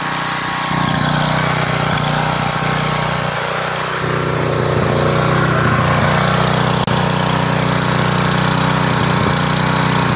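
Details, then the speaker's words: 1997 3000-watt portable generator, sat 20 years with old fuel: engine surges and sags about three times a second, can't govern under load, output only about 115 volts; varnished carburetor causing hunting, carburetor to be replaced. "you here struggling it can't seem to govern itself because the carburetors in such bad shape"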